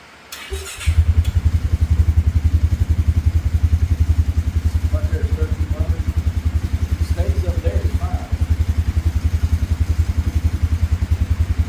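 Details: 2017 Polaris Ranger 570 EFI with no fault codes, idling rough; low loping idle pulsing three to four times a second, never settling; air filter, plug and coil ruled out, failing fuel pump suspected and replaced.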